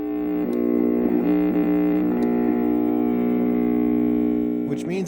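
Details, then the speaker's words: Nintendo Famicom that sat in a smoky bar for over 10 years: steady, pitched electrical buzz over the game audio, shifting as the volume knob moves; likely culprit is tar-fouled volume slider contact. "A quick check on the internet tells me that there's another very likely culprit. This volume slider itself. When the contact goes bad, it creates this weird noise."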